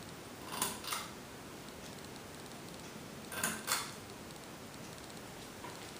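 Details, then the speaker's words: Hampton Bay Tripoli 48" ceiling fan at low speed with light on; paired dry clicks over soft airy hiss from worn bearings still audible despite ample oiling. "he bearings on the fan are rather worn out and even after trying to put an ample amount of oil in them they still are rather audible so i guess it's just something i'm gonna have to deal with at least for now"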